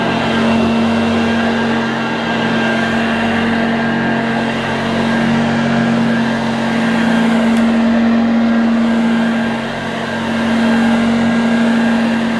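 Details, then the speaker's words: 1982 Hoover Junior Dirtsearcher U1108 upright vacuum: smooth, even motor drone at steady mid pitch, no grinding or surging; motor sounds healthy, no strip-down needed. "that motor sounds fine there's no need for me to remove that motor and strip it down if the motor sounds as good as that does"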